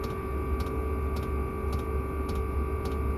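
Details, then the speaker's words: Chinese Webasto-style diesel heater in a cupboard, pump below, running at about 104 watts: steady sharp ticks just under two a second over a fan hum, the normal but noticeable fuel pump noise. "Peut-être le seul petit point faible, enfin défaut on va dire, le bruit de la pompe."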